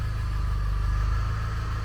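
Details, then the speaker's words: Vauxhall Zafira GSI Z20LET turbo petrol, not run in 7 years, just out of cold start, idle dropping below 1,000 rpm: low, smooth, even idle with a quiet exhaust and no knocks or ticks; normal idle. "But, there we go. One running and I don't want to speak too soon, but one running and idling Z20. Lovely."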